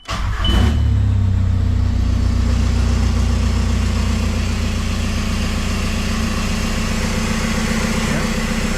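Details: VW Jetta TDI diesel, sat unrun for months, first start after its computer was reinstalled and battery recharged, on stock tune: quick crank, catches immediately, steady even diesel clatter at idle with no misses or hunting; starts and runs fine.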